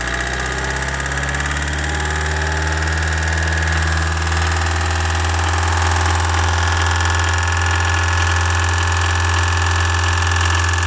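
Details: Running car engine with a low, steady drone and a light rattling knock on top; it rattles when given gas. Engine rattle under throttle.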